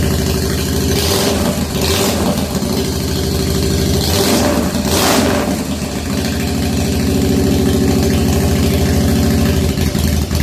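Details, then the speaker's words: 1997 Harley FXDWG, odometer 6,948 miles, first start after S&S carburetor repair and crankcase vent kit: V-twin catches and settles into a lumpy, uneven cold idle with a couple of blips; idle still needs adjusting. "okay so it's started think I will now uh play with it and try and get it the idle better cool"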